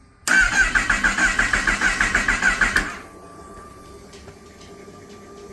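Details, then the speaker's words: Totaled 2018 Kawasaki ZX-10R being rebuilt, on its first start after a ground wire was reconnected. It revs at high speed as if at full throttle immediately on startup; others suggest an intake air leak, but this is unconfirmed. "now I have to figure out why it sounds like it's Full Throttle as soon as it started"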